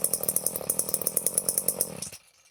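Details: Late-1970s Power Mac 320 two-stroke chainsaw, unused since early 1980s, after carburetor rebuild and metering lever set lower: fires crisply at an even beat with a clean rapid rhythm, then cuts off sharply; runs properly.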